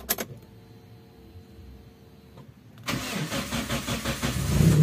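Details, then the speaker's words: Taruna EFI: slow, laboured cranking for several seconds before it catches. The long start comes from a weak, heavy starter motor, not the engine. "Jadi itu panjangnya bukan karena mesinnya yang startnya panjang, tapi karena dinamo starternya yang berat, pagi siang malam sore kayak gitu yo."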